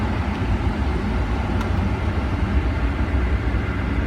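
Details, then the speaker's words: 2009–2014 Ford F150 after replacing the AC blend door and floor/vent/defrost actuator motors, truck running with AC on: steady, even low hum with no clicking from the dash; actuators now work normally. "that sound it's called air conditioning and it's amazing no clicking silence is golden"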